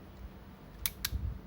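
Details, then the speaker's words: Yashica Electro 35 GSN with a stiff shutter that would not fire, tested with the meter covered: two crisp, clean clicks a fifth of a second apart; the shutter trips and closes normally. "ถ้าพี่หนึ่งปล่อยนิ้วโป้งขึ้นมาอ้ะมันก็จะดิบกับตัวกล้องทำงานปกติอยู่แล้วนะครับ"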